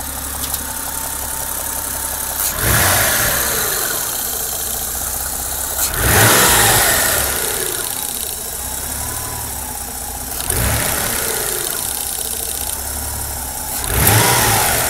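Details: 1994 Mitsubishi 3000GT VR-4 cold engine, engine compartment: light clicking at constant frequency as revs fall after quick blips, absent at idle, on slow revs and once warm; boost solenoid suspected.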